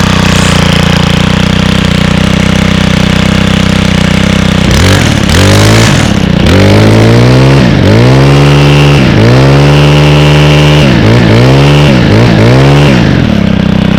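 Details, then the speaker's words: Echo string trimmer with the i30 recoil starter, run on TruFuel 50:1 after choke and prime: a smooth idle and clean throttle blips that rise and drop back crisply. Healthy running. "a that sounds so nice awesome can certainly depend on your fs91 RS that's for sure"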